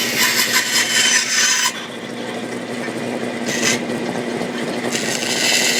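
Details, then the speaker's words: 1948 Delta Milwaukee 14-inch vintage bandsaw on open steel stand, cutting curves in oak: steady, smooth blade hiss rising as the blade bites into the hardwood, no rattle or knock; normal, clean cutting. "I cut out a whole bunch of test pieces of oak, even double cross-cutted some pieces of oak, but I'm going to try to cut some curves with this saw."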